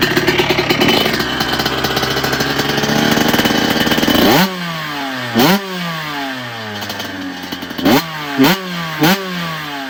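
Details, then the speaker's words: 1997 Honda CR125 two-stroke on the stand, start and idle test after rebuild with new Vertex piston and silencer: crisp buzz settling to steady idle, then sharp clean throttle blips rising and falling evenly; runs healthy. "I'm pretty impressed. He'll be impressed."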